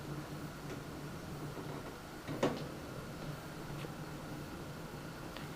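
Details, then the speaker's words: NZXT Phantom 410 mid-tower case stock fans on the built-in fan controller at medium speed: steady low hum with a faint higher whine over the fan air noise; the controller noise is absent at highest speed, and a replacement controller fixes it. "seems be to be producing some sort of weird noise in there not sure if that's any vibration or electrical noise"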